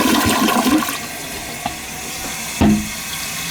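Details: Toilet that kept running and would not shut off, flushed after a cut-down part to stop spraying. Clean rushing flush, then a quiet refill with no hiss or spraying: normal toilet flush.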